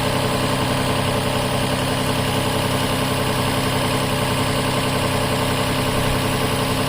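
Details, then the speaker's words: 2007 Toyota Highlander Hybrid, normal ready mode without maintenance mode, gasoline engine running briefly before auto shutoff: smooth, even low idle with steady beat, no knocks or misses; normal. "And the motor gonna come on for a little bit, then they're gonna shut off. Now you can hear it, the motor is starting."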